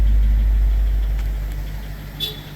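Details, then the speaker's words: 2005 BMW 745Li V8 just after a hard start after sitting almost two months, low fuel, cold: deep, even rumble growing quieter as it settles, no knocks or ticking; normal cold idle. "no it's not bad kind of quieted down already a bit which is good"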